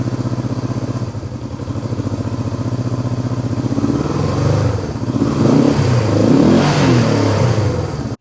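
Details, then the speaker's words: 1971 Honda CB350 twin after reassembly: lumpy, uneven running that rises irregularly as the throttle opens, with one carb slide not moving with the throttle; carburetors out of sync, possibly from an unadjusted new throttle cable. "so right off the bat we know that the throttle is not not even which could be the the problem why"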